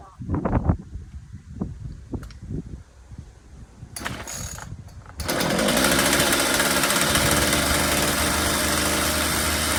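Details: Ryobi RCS4246B chainsaw after carburettor mixture adjustment for dying when revved (too much fuel): a few starter pulls, then it catches and settles into a steady, even drone while warming, no dying or surging.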